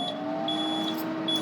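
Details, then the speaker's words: Surplus electrophoresis high-voltage power supply driving a PicoEMP, switched on with no output load: steady hum with high beeps repeating about every 0.8 seconds; no-load error, it wants a resistive load on the output. "So it it wants to see an output. So it's looking for a resistive load of some amount."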